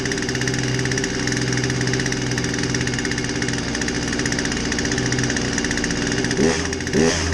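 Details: Poulan 2150 chainsaw with a won't-start complaint, after a basic tune-up with a fresh air filter: steady high buzzing idle holding even, then two crisp blips up and back down; runs and revs cleanly.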